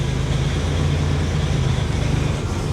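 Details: Buick Grand National running after new spark plugs, idle control valve disconnected and idle not at 750 rpm: deep, uneven engine rumble with a rough rattling edge, cutting up and close to stalling; owner notes it usually dies.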